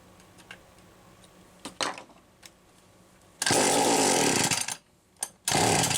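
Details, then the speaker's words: McCulloch Power Mac 320 Auto-Sharp two-stroke chainsaw, carburetor recently loosened: coughs into two short ragged bursts, dropping out between them, won't hold a run; carburetor pulse hose found disconnected. "oh I had to take the carburetor loose and I didn't think any of the hose connections I unscrewed it but I didn't think any of the hose connections had come loose but by god the pulso is here"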